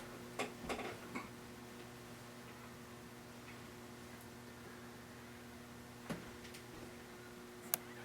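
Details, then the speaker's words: St. Louis Fan Company Swirl Series model 1905 36-inch ceiling fan running in reverse, low-speed trim unadjusted: faint steady low hum with soft ticks, no rubbing or wobble; normal motor hum. "Not bad. Nice low speed. Yeah. Little bit of hum."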